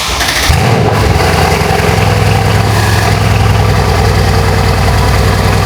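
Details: Mercedes W205 C63S AMG first start after the oil pan was cleaned and refitted with a new gasket and fresh oil: cranks and catches quickly, then settles into a steady, even idle with no knocks or misses; normal idle.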